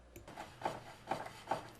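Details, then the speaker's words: BMW K75 motorcycle after lubing the clutch and final drive splines with Honda Moly 60: soft scraping swish about twice a second as the rear wheel turns, the brake pad lightly rubbing the rotor; shaft now quieter, no hard metallic clanking. "you hear the brake rubbing listen to the metal in the shaft it's a lot quieter it's not this hard metallic clanking sound"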